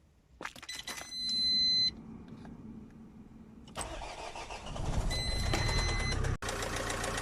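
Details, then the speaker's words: Works van converted to a camper, cold start (it won't start when warm): dash chimes, a short crank, then the engine catches into an uneven, knocking idle; internal engine knock on cold start, cause undetermined, van being sold. "started reasonably well actually today. Because it's cold, it won't start when it's warm. Hear that knock? Not a happy van."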